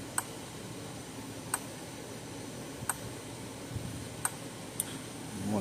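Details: Older Zareba 3M solar fence charger, 0.05 joule output, brought in for no voltage or spark, meter reading around 10,000 volts: sharp single clicks roughly every 1.3 seconds, evenly spaced over a quiet room hum; pulsing regularly, normal.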